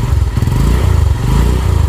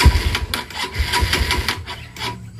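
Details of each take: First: 150cc sport motorcycle after work on burnt clutch plates, pulling in gear: a short run of quick, even exhaust pulses with no jerks or clunks, and the engine sounds very smooth. Normal running. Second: 150cc sport motorcycle started after work on burnt clutch plates and clutch cable adjustment: the idle gives uneven popping pulses, about four per second. Owner attributes the sputter to the vacuum carburetor and expects a PE28 carb would smooth it. Sputter at idle.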